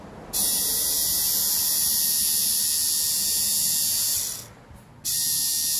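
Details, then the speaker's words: 1981 VW Rabbit (Mk1) A/C blower motor, rebuilt after bad bushing, on test bench: smooth high-pitched whir at steady speed, cuts out briefly and spins back up; no bad vibrations, slightly noisy brushes; runs normally. "no super bad vibrations or anything a little noisy in the brush area but I think it'll survive"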